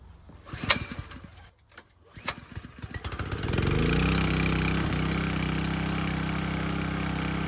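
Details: Landworks 20-ton log splitter engine splitting a dry 24–25 inch log; small engine pulls up after a few start attempts, then settles into an even, steady drone with no misses or knocking; split it easily, normal running under load.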